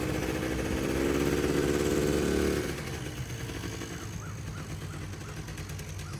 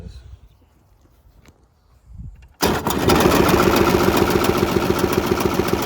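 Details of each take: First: Polaris Trail Boss 350 two-stroke quad, abandoned 15 years, after carburetor clean, fresh fuel and jump start; buzz settling from higher rev to fairly even regular idle; runs healthy now. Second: Polaris Trail Boss 350 quad abandoned 15 years, jump-started with choke and poured-in gas: quiet cranking, then catches and runs fast and ragged with uneven popping, sounding bad; owner suspects carburetor full of junk.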